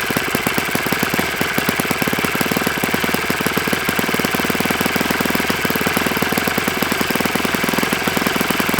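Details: Enya 46-4C small four-stroke model engine on a bench test stand with a 12.7 prop, holding a steady crisp rhythm at speed with a faint dry rattle; owner says it needs new bearings, cause suspected, not confirmed.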